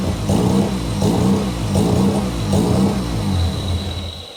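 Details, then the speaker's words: Mazda 13B bridgeport rotary, first start after build, running with the cooling system bleeding well; choppy, lumpy idle with rhythmic rev blips about every three-quarters of a second, revving and settling cleanly, healthy. "um yeah i've got it running and it seems to be bleeding pretty well and that's a good sign"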